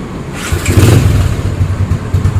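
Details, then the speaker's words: Yamaha Spark 135 carbureted auto-clutch after rebuild: 60 mm ceramic cylinder, modified head, new clutch plates, remade exhaust, bare stainless air box making some intake noise. Catches quickly, steady even low putter, no knocks or rattles: normal idle. "เสียงดีครับทั้งดูดทั้งพ่นนะครับเสียงดูดก็มีเสียงหน่อยเพราะว่าใส่กล่องเปลือยสแตนเลส"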